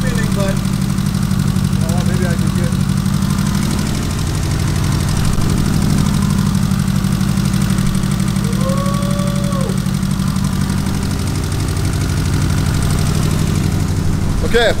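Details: Lumpy, uneven idle with a loping beat of about three per second under the exhaust drone on a 700 HP Evo; one cylinder misfiring.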